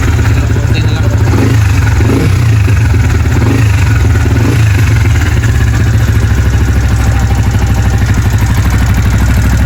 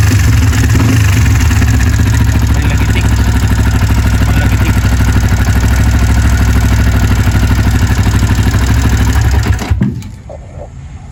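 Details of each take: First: Sniper 150 with an aftermarket camshaft, idling after a Pitsbike manual tensioner replaced the stock tensioner: a steady single-cylinder thump with only a faint tick left; valvetrain ticking somewhat reduced. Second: Sniper 150, idling before repair on the stock tensioner: fast, even beats with a loud light mechanical clatter on top; the owner suspects the stock cam chain tensioner, not confirmed.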